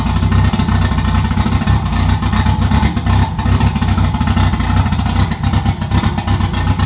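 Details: Stock-ECU 2JZ-swapped BMW E36 on first start after cleaning fouled, rich-running plugs and installing a replacement part: revs with an uneven, stumbling, choppy beat, breaking up under throttle; misfire persists, cause unconfirmed.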